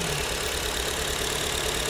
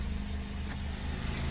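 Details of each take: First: Owner's mother's 2009 Acura TSX, idling unevenly with a hissy chuff about three times a second after breaking down; one cylinder misfiring, spark plug swap didn't help, injectors being unplugged one by one to find the suspect. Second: 2009 Acura TSX after misfire repair, no engine codes: petrol engine idles smoothly, a steady low hum with no stumble or judder; normal smooth idle.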